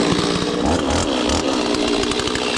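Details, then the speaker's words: Stihl 026 chainsaw cutting pecan: strong steady high-revving two-stroke buzz holding clean under load, no bogging or misfire, running very well. "can hear that 26 getting with it. I mean, it's running very good."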